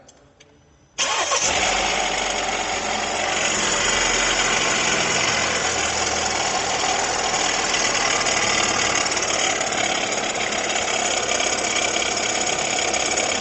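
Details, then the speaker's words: 2019 Jeep Renegade, customer complaint of engine noise at idle; engine fires and idles with a constant rough whirr loudest at the front of the engine, suspected worn water pump bearing; accessories to be checked next. "E aí E aí pessoal barulho né É e parece que ele tá mais forte aqui na região frontal aqui do motor né"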